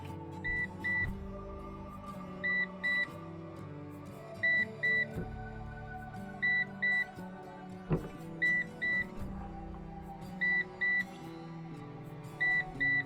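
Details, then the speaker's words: PowerShield Commander RT PSCRT2000 line-interactive pure-sinewave UPS with its hot-swappable battery pack removed while on AC mains; pairs of short high beeps repeat every two seconds over background music. This is the battery-disconnected alarm, which PowerShield says triggers if a self-test starts while the battery is out. "Thật kỳ lạ, chuông báo pin bị ngắt kết nối đang kêu bíp. Tôi không hiểu tại sao thực tế là nó được coi là pin có thể thay nóng."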